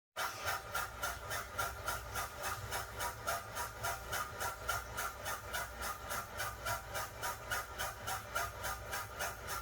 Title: toilet making strange noise 20230328